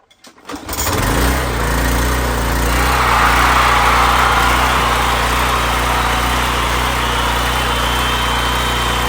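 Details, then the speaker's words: A roughly five-year-old Troy-Bilt pressure washer with a Briggs engine would not start after sitting with bad fuel. After a carburetor cleaning and a temporary homemade gasket, it catches after a brief pull and settles into a steady, even drone with no misses or surging. "see all right you get we got a PR pressure wash that's running great again"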